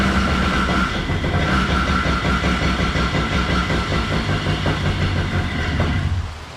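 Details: Moster 185 Plus small two-stroke: low lumpy chuffing, uneven stumbling beat, then dies near the end; rough idle with hard restart.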